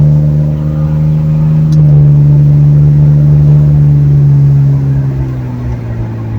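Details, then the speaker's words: Ford Torino inline six with a newly installed exhaust system, driving to the gas station: a low, mellow drone rising gently with road speed, with no rasp, boom or leak puffs. It is far quieter than before. "well this is already a ton better I'm sure you can probably hear me a lot better than usual it's actually pretty darn quiet"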